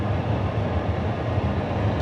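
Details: Classic Edge 750 outdoor wood boiler at start-up after annual cleaning and furnace temperature sensor replacement: steady deep low rumble with even roar, no popping or surging; water at 108°, firebox burning hot and clean.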